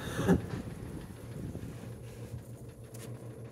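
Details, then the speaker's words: 28-inch Harbor Breeze Summit ceiling fan on high speed: low hum with loose, irregular rattling because the blades are unsuitable and unbalanced. "But now, the unfortunate high speed. Let's do the light fan running first. The unfortunate high speed. Hear it rattling."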